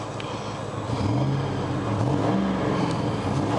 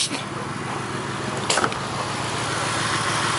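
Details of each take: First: 1999 Grand Marquis Panther platform P71 4.6 V8 ice cream truck that developed a miss in cold weather, after finding a broken clip: revs up and settles smoothly with an even note, no misfire. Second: 1999 Mercury Grand Marquis P71 4.6 V8 ("Willie") idles lumpy with an irregular stumble and faint hiss, shaking; developed in cold weather; misfire, owner suspects an intake vacuum leak.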